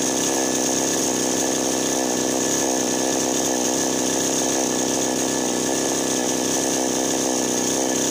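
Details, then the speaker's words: Chainsaw that would not start or would die right after starting runs with a steady, loud, even buzz after a loose spark plug and ignition fault were found, since fuel and compression were fine and only spark was missing. "So kung may kpr naman siya at may gasolina kuryente lang ang kulang so Dito nga guys ay umandar na siya"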